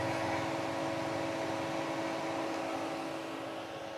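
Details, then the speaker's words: Tata Nexon EV Prime, about 3.5 years old, around 100,000 km, 30 kWh battery, parked outside at about 37 °C; steady whooshing cooling-fan hum with a faint constant tone, even and unwavering; normal cooling fan operation. "सो इसका fan चालू हो गया है and आवाज़ आप लोग सुन सकते हो, उसका जो कूलिंग फ़ैन है उसकी आवाज़ आ रही"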